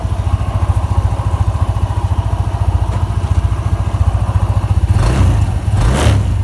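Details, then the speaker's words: TIGRA 150 scooter after DIY replacement of camshaft, valve rocker arms, cam chain, chain guide and tensioner: even low thumping idle, the earlier metallic ticking now gone; top end quiet and healthy, repair successful. "之前那个异音嗲的声音，现在应该都没听见了。现在声音都正常了，那个金属的敲击声，那个声音现在都没听到。"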